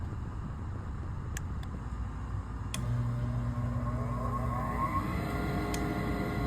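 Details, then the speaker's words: Furnace inducer motor after the clogged condensate drain trap and tube were cleaned: smooth, even whir with no water sloshing, rattle or gurgle; much quieter, running normally. "It's much quieter. This furnace is going to perform that much better because of that."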